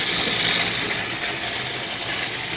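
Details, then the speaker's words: Home furnace draft inducer motor, which had stopped turning and was taken apart, cleaned and greased with high-temperature grease. Now runs with a constant loud high whirring hum, still too loud: worn draft inducer motor bearings, to be replaced. "what it was doing was it was making a very loud humming sound which I thought was my my the blower motor or the capacitor which normally is the problem but this time no it was the draft inducer motor"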